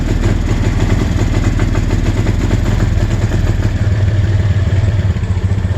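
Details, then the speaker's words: Suzuki Spin scooter runs rough under throttle, chugging that stumbles and breaks up ("brebet") and then stalls; the mechanic suspects the ground (mass) cables, two of them with one running to the engine, a common Suzuki Spin fault. "Iya. Berebet-brebet terus mati ya."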